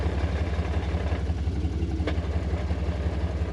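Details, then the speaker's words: Jeep engine at idle with a choppy, stuttering pulse about twice a second that sounds a bit better with the clutch held in. Harness plugs are already checked; a faulty coil rail is suspected but not confirmed. "And you can see, she's still real choppy. So I think that it is going to be the coil rail."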